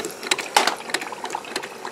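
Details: Keurig 2.0 brewing a 4-ounce test cup with covers off, after a disintegrated high-pressure relief valve was replaced with an automotive T-fitting. Light pump ticking and a trickle of water, with no sputtering or hissing leak; normal brew pump operation.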